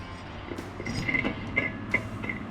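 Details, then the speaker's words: 2015 Bad Boy Elite ZT 54-inch mower deck removed, spindle pulley turned by hand gives light scratchy chirps every few tenths of a second; noisy spindle bearing, replaced along with blades. "okay we got the deck off and we're gonna check pulleys all right we found something noisy so that one's loud okay let's check the other one"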